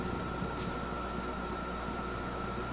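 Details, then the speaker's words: RCA A24 antique vacuum tube radio during alignment troubles: strong steady low-frequency rumble under hissy background with a faint fixed tone, only slightly reduced by the tone control; low-frequency rumble, cause unknown. "really kind of surprised by that rumbling. Maybe tone control my way out of it. It's a little better. Still, it's quite a strong rumble."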